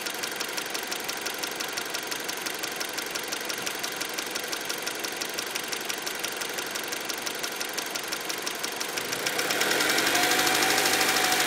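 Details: 2003 Acura RSX engine at idle with a steady light ticking of about three per second, louder near the end; the valves were already adjusted, so the cause is unclear.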